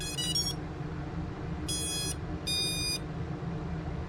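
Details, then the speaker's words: ViFly Finder Mini lost-model buzzer plugged in to power: short bursts of high electronic beeps in three chirp groups over a low hum; normal power-up beep. "okay we're powered up okay looks like the light just come on i probably didn't give a chance to do what it's supposed to do there's the beep there's the beep"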